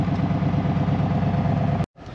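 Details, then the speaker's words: 1984 Ford F150, carbureted 302 V8, automatic, parked since about 2011, first run, full dual glass-pack exhaust: even low-pitched idle with regular pulses, no knocks or misses; one bank seems clogged, possibly a mouse nest. Normal idle. "gas smells but man what a good feeling she sounds healthy full dual exhaust back here glass packs"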